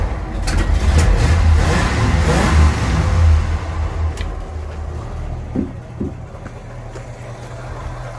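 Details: 1948 Ford F5 bus, abandoned 25+ years, on a new custom exhaust: the engine catches and revs, then settles into a low, even rumble with a soft exhaust note and no knocks or misses; sounds good and quiet.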